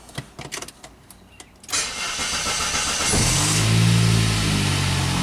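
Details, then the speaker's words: 1999 Saab 9-3, previously a crank-no-start, now fixed: a few clicks, a brief crank, then the engine catches at once and settles into a steady, even idle; it starts right up. "There we go. starts right up."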